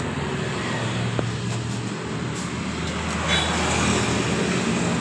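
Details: Honda Beat scooter (2015–2020), just after reinstalling V-belt and rollers with light greasing to cure a knocking noise on throttle: smooth, even low CVT hum at idle, no clatter or rattle, traffic nearby; healthy normal idle.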